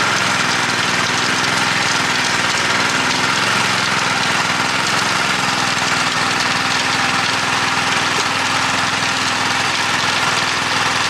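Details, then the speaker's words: Honda F810 rotavator with tiller box, bought as a non-runner after two to three years standing in a field and revived: steady, even engine drone holding speed under tilling load, no knocks, misses or surging; healthy running under load. "compared to others that i've used this machine is pretty easy to use with the handles offset produces nice fine even tilt"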